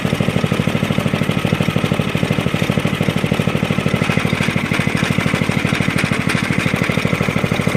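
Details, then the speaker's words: 1983 Stinger go-kart single-cylinder engine idling: sharp, even rattle about three times a second from the loose steering wheel, not the engine, which sounds good. "okay it was a steering wheel okay it's the steering wheel making all that"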